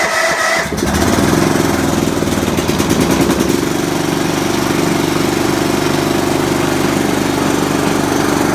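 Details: Old riding mower not started in many years, run after bypassing a faulty safety switch: brief cranking, then it catches and settles into a steady, even idle with a regular firing beat; starts and runs normally.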